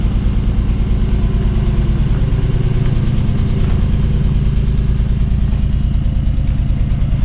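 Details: 1979 BMW 633CSi back on the road after 5 years, X-pipe near-straight exhaust: deep, even exhaust burble with a steady pulse about three beats a second, no misses; smooth, healthy normal idle.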